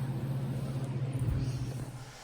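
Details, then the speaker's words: Land Rover Freelander, first start after head gasket job with new cylinder heads: deep lumpy uneven tractor-like idle; check engine light, major coolant leak with steam, cause not known. Rough running engine. "gave me a check engine light still sounds like a tractor and we have no idea what's going on"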